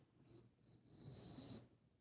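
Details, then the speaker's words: Model train locomotive that had not run in a while gets power but only buzzes in thin high-pitched bursts. It moves for a second, then stops, and does not work with this track for an unknown reason. "You can hear him buzzing, but you don't want to move."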